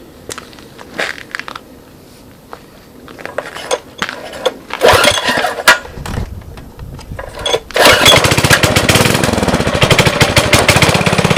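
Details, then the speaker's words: 5.5 HP Briggs & Stratton Intek, first start after carb clean, cold day about 27°F (-2.8°C): a few knocks and pulls, then catches into a steady, even putter with no knocking. Carb seems to work properly. Normal running. "Yeah, it looks like I did a halfway decent job getting it running, which is a good thing."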